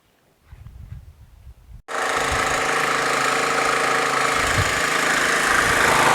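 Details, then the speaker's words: Troy-Bilt lawn tractor with Briggs Intek engine after a carburetor swap: quiet fumbling, then it catches and holds a steady, slightly lumpy idle; running too rich with black smoke, fuel mixture screw needs turning in to lean it. "I just backed it out about a quarter turn on the fuel adjustment because Barney too rich black smokers"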